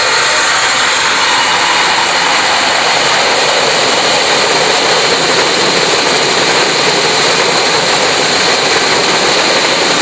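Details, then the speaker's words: Emerson Fisher flow-lab control valve demo: steady gravelly hiss of cavitating water through the valve that eases a little as the rear valve is partly closed to apply back pressure; cavitation lessening. "We'll show you some cavitation happening and then I'm going to close off this rear valve a little bit and you'll be able to see the cavitation lessening and it might even go away we'll see."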